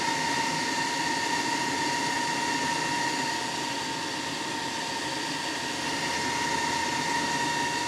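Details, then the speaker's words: Solar inverter, mic close to the opened unit: constant high shrill whine over steady airy rush from the internal cooling fan; abnormally loud fan. "That can't be normal. That thing is obnoxious. Here, I'll get you a little closer. Right there's the fan and listen to that thing. That's horrible."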